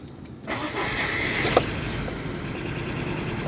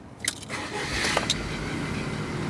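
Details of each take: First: Rover 25 with K-series engine on a large battery, compression about 160 and balanced: starts better but runs unevenly with stumbles. It runs the same with cylinder two unplugged, so the misfire is traced to the coil pack. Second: Rover 25 with K-series engine after the cylinder three coil pack was swapped for one taken from another engine. It catches at once and settles into a steady, even run with no stumble or misfire, so the starting and running fault is resolved.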